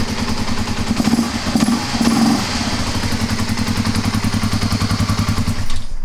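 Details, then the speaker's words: Kawasaki KLR250 with 4,500 original miles, normally very hard to start, running cold on choke after finally starting: steady, even single-cylinder thump at a fast idle, unbroken throughout; normal running. "Sounds nice. >> Sounds good. I mean, the thing runs good once it 4, 500 original miles."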